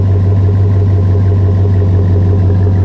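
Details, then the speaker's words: 2005 Chevy Silverado 1500, 5.3 pushrod V8 with Flowmaster 50 Series Delta Flow muffler, at warm idle after high idle settled. Deep, steady V8 burble with an even beat and no misfire, lope or ticking; healthy engine. "Yeah, so if you're thinking about putting a Flowmaster, the 50 series Delta Flow, definitely a good choice. Could not be more happy with the sound."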